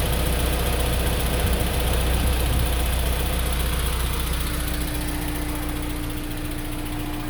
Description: Vid to show my '03 S2000 ticking after a recent AP2 retainer swap and multiple valve adjustments.